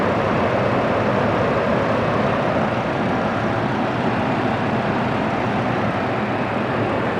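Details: 2007 Chevy Colorado i5 engine running right after serpentine belt replacement: smooth steady roar, started right up, no squeal, chirp or chatter from the belt; normal serpentine belt operation.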